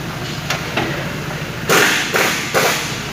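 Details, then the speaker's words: 2018 Toyota Fortuner: loud hollow clunks in bursts under the car, front, each time the brakes are applied going forward or in reverse. The cause was a damaged alarm horn loose from its bracket bolt; after repair the car was normal. "aksi pengereman posisi maju ataupun mundur suara terdengar kencang"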